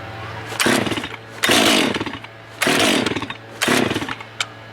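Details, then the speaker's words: New Stihl (MS 462 C-M/661 C-M) during break-in on a 65°F day, restarted warm after 10–12 minutes off. Four pull-starts give brief rasping cranks but it never catches; unlike the owner's Echo, it needs choke again. Hard warm starting. "Now, if this was my Echo, I wouldn't have to put the choke back on, even though it's been off for 10-12 minutes. The Echo would start right up. even after cooling down."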